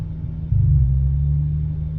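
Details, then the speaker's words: Hyundai Tiburon N/A build with new port-matched intake manifolds and a freshly installed tuned ECU. After throttle, revs hold an elevated steady drone around 1500 instead of settling to idle. The owner doesn't know the cause. "idle hang here. It's weird. Not sure why it's doing that."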